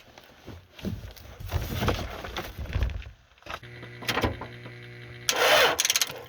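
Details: 2000 Toyota Celica, 242,363 miles, towed in as a no-start with a flat battery on the charger; after a loose starter bolt was found, repeated starter cranking bursts with uneven catches but no run while starting fluid is tried to diagnose it: hard start.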